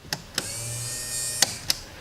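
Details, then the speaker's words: Restored ski boat rigging test: bilge pump switched to manual with no water in the bilge. A click, then a low steady motor hum. Pump starts and runs normally. "and I can hear it start. So the pump is running."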